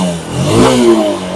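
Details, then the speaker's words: Honda SP 160 BS6 motorcycle, high-mileage, with pickup and intermittent starting problem from a shorted spark plug cap, after replacement: quick rev climbs and settles with an even, clean exhaust note, no knocking; running fine. "দেখো আর knocking কিন্তু করছে না গাড়ি, আর কিছু হচ্ছে না গাড়িতে। একদম ওকে।"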